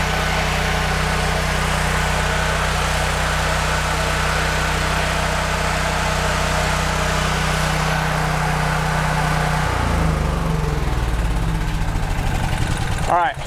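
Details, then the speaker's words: Older Honda generator with GX390 single-cylinder engine (stator bad), full oil before no-oil test: steady, even single-cylinder drone with no knocks or misses, then winds down as shut off; engine healthy. "So, we show that the generator does work and everything."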